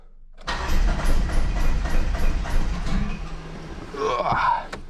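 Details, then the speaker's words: 1995 Plymouth Neon, low mileage, sat long in a garage, fuel pump priming: starter churns about three and a half turns a second with a few weak catches, never runs; owner says it's firing on one cylinder; crank, no start. "She's gonna take a minute. She will, though. She's like firing on one cylinder. Let's see. She wants to start."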